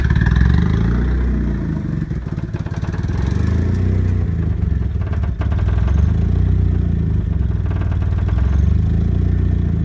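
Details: Newly bought 1994 Mazda Miata with turbo, idling badly and nearly dying at stoplights: lumpy, uneven idle with irregular chuffing and dips near stalling; owner suspects a heavily leaking exhaust manifold next to the turbo; rough idle.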